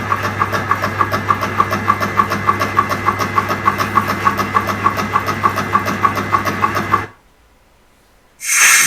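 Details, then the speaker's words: Bench-mounted compressor with large reservoir tank, motor at the side: steady motor hum with even pumping pulses about three per second, then shuts off; normal, healthy running. "and this is the motor at the side and you can hear it all running and see everything working"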